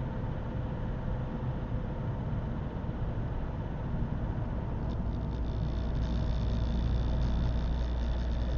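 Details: Opel 1.7 CDTI Z17DTJ diesel cold; rough, tractor-like clattering knock over a deep rumble, quiet once warm and at idle, no fault codes; faulty Denso injector, fixed by replacing it.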